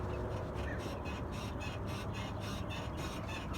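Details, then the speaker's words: Car body rocked by hand at the open door: rapid, repeated squeaky creaks over a low rumble, like a rocking bed, from worn rear shock absorbers or mount bushings, mostly heard over speed bumps and dips. "simple and easy test so that creepy noise you just heard can be mostly heard when you're going over a speed bump"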